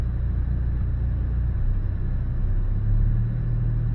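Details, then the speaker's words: 2019 Hyundai Elantra GT 1.6 L turbo with P0300 and cylinder 2 and 4 misfires, slightly warmed up, parking brake on, light load: low steady drone, rpm not jumping, no stumble; misfire not showing here. "I'm going to put this under a little bit of load. Got the parker brake on and going and just want to see if I can take a look at the RPM there. See if it's jumping at all, which it is not."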